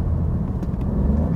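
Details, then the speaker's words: Alfa Romeo Giulia Quadrifoglio with about 18,000 km, idling in neutral with a deep, lumpy, uneven, raspy exhaust throb, likened to a three-cylinder 1.0 TSI; cause unknown, possibly hard use. "jak 1.0 tsi w Skodzie jak trzy cylindry. Jest to kosz koszmarne. Koszmarne."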